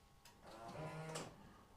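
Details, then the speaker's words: Rolls-Royce Silver Spirit III central locking, tested with a new replacement remote key fob case on the original circuit board (left button lock, right unlock): quick soft, even mechanical clunk of door actuators; locking works normally. "Yep. And right button is unlock. Fantastic."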